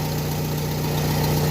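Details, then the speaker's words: Car with suspected power steering or alternator noise that rose with rpm, running after the fix: smooth steady hum with no whine, only a deeper rumble from a dented exhaust; drive belt side healthy, normal idle. "ó acabou o problema só o escapamento do meu que tá batida aqui aí faz um barulho mais grave mais aquele acabou tá"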